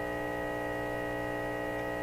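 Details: Deforest Crosley shortwave tube radio with audio not working, on restricted power while checking output tube grid bias: steady low buzzing hum at constant pitch, no audio; output stage hum, cause unconfirmed.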